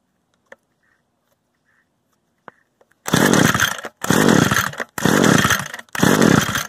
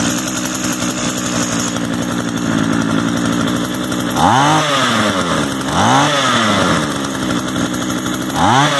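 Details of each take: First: Used Echo gas string trimmer, choke on and primer bulb pressed: four raspy recoil pulls about a second apart, engine never fires; the stop switch had been left in the stop position the whole time. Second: Used Echo gas trimmer of unknown history, just started and choke off, idle being adjusted. Even buzzing idle with three quick throttle blips rising and dropping back cleanly: small two-stroke running normally.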